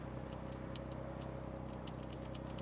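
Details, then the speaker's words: 1995 Mitsubishi 3000GT VR-4 Spyder, 13,110 miles, idling before a drive: faint, irregular light clicking as the passenger window glass moves, from a failed passenger power window regulator. "Passenger window regulator is out. I can hear it clicking."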